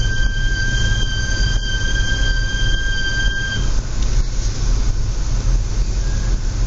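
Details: Audi S4 B8 in low outside temperature: high, steady fixed-pitch squeal over low rolling rumble, cutting out after a few seconds; brakes squealing extremely.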